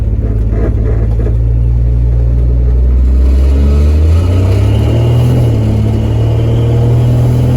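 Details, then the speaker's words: 1966 Dodge Dart GT, Slant Six 225 with automatic, freezing day, kickdown cable slackened: engine note climbs then drops cleanly into third about 25 mph under moderate throttle, no slip or flare; smooth automatic upshifts. "slack okay it's shifting really nice now that was I hit third about 25 with a little Moder pressure on the accelerator"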